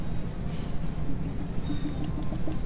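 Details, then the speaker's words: VW cooling system being filled and bled after opening: irregular bubbling and gurgling as coolant level drops, air purging from the engine as it should; no gurgle would indicate a blockage. "here you can hear the gurle you can see so it's gurgling which means air is coming out of the engine and the fluid level is dropping"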